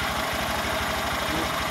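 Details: Honda Grom single-cylinder after rebuild (new piston, head, cylinder, high-flow oil pump), first start, oil visibly pumping: quick even thumps about ten a second, no knocks or misses; healthy idle.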